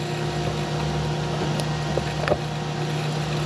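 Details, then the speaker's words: DIY watermaker built from an old D100 Dessalator, using a 105 bar pressure-washer pump feeding three membranes in series, regulating valve fully off at startup before winding to 800 psi for 100 L/h: loud even drone, steady hum, normal pump operation. "Now we're ready to run the watermaker. And as you can hear that horribly loud noise, we then come here."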